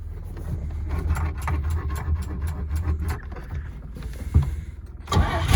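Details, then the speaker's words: 1938 Chevy Master Deluxe cold start using choke; starter churns steadily at about three turns a second for several seconds but the engine never catches. "oh come on starter you know you want to"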